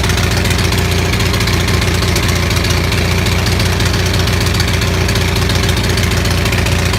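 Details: Onan 6500 (6.5 kW) gasoline commercial generator, muffler missing, chugging roughly with a stumbling beat and irregular pops; misfire traced to a severely fouled spark plug, with spark present throughout.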